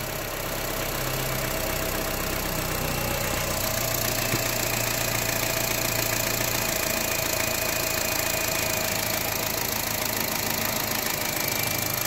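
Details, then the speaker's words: 2011 Honda City after an engine oil flush, light revving, warming up: fast uneven dull metallic knock under the engine hum; flushing a sludged engine is blamed. "ou mostrar lá no motor dá para ouvir no motor né batendo"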